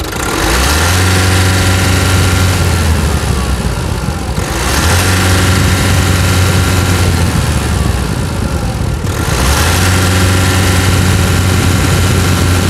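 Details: 2019 Nissan Frontier diesel after service (engine, gearbox and differential oil changes), hood open: steady even idle, climbs smoothly with each rev (rpm limited when stationary) and drops back cleanly; sounds healthy.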